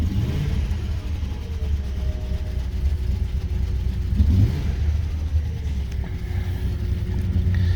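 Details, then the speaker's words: 2000 Lincoln Town Car 4.6-liter V8, one gallon fuel added, owner suspects fuel starvation: engine revs with uneven lumpy rumble and stumbles between pulls; rough running, cause unclear. "everybody cross the fingers here boy ooh do you run rough"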